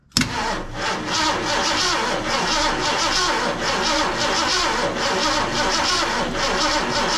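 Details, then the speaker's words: Mercury XR7, wrecked and parked 20 years, gas poured in; starter churns engine at a slow even beat for several seconds, no firing, owner thinks the ignition key was not switched on; cranks but no start. "well it didn't fire right up oh you know what I think we need a key on"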